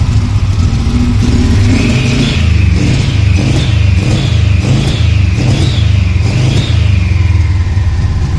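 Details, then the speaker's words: VW T3 with a swapped Subaru turbo engine, first start: it runs lumpy and uneven with a deep chugging note and loose surges, like a TDI diesel, and smells of petrol, so it is suspected to be running too rich. "Ça tourne comme un TDI mais ça tourne. Pourquoi comme un TDI? Ça sent l'essence là? Ah, Trop riche?"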